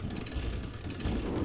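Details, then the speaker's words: Wilesco D419 kit-built steam showman's engine, first run: low, uneven gear rumble with a crunchy ratcheting grind where the slightly off-true middle drive gear binds against the small flywheel gear; drive belt possibly too tight. "we've got a bit of a crunchy spot you can hear it i think i don't know if you can see the edge of that gear there"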